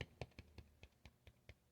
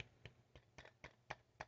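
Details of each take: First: Vintage JBL L-40 loudspeaker, 10-inch JBL 127A woofer after re-foaming and re-centring a sloppily built, off-centre driver: light taps give clean dull thumps with no scraping; no voice coil rub, passes the tap test. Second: Vintage JBL L-40 loudspeaker, 10-inch JBL 127A woofer being re-foamed, glue still tacky: light taps on the cone give a faint buzzy rattle as the voice coil rubs from an off-centre surround; fix is pressing opposite the rattle and reseating.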